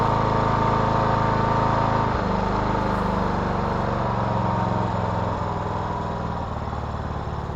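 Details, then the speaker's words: 2014 Troy-Bilt Bronco with a Kohler 17 HP Command engine after a new carburetor was fitted; full carburetor control is restored, and a smooth, even beat holds steady speed with no surging or misses. "Yeah, now that's what you want. Full control of the carburetor is restored. This mower sounds really good."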